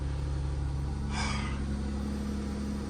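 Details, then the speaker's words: 2014 Ram ProMaster 2500, first start after fuel pump replacement and priming: low, steady idle with an even beat and no knocks, ticks or stumbles; engine runs normally. "Now you can crank it. Oh, lovely. I love that sound."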